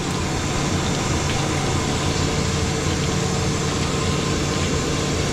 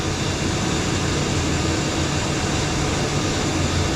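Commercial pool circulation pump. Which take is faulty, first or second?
first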